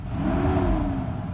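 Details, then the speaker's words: Mercedes S600 W140 after a throttle body overhaul, warm and idling smoothly at the correct rpm; a barely-pressed pedal blip rises to almost 2,000 rpm and settles with no stumble; healthy throttle response. "as you can see it's running like very nice and smooth at exactly rpm so we need to be at in this temperature acceleration brisk just like instant that was just just tapping on the paddle"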